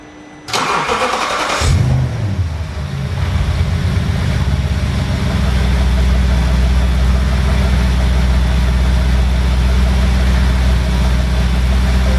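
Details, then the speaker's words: Audi B7 RS4 supercharged after oil cooler leak repair, oil top-up and belt refit, started to run 10–15 minutes for leak check: starter catches, sharp rev flare, settles to deep steady idle, no knocks or ticks; no leaks afterwards; normal start and idle. "I'm sorry, but that sounds insane."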